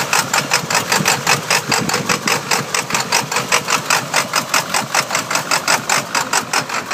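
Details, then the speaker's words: 1999 Ford F250 Super Duty 7.3L diesel, 155k miles on engine, Superchips and Banks tuners, aftermarket turbo, intake and exhaust: lumpy clatter pulsing about 2.5 times a second at warm idle, engine shaking; misfire, previous owner suspects a burnt valve cover gasket wiring harness. "you can definitely hear the mist method"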